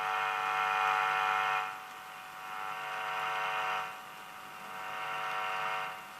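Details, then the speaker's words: Linear/RSC Diatonic A11 valve amplifier (ECC83, PCC83, EZ81 rectifier, two EL84 push-pull) with hum complaint: steady low mains hum with buzzy edge swelling and dropping as the back panel moves near; hum coupling in capacitively. "so obviously that makes a difference obviously when you put that in there it's capacitively coupling any hum into the circuit"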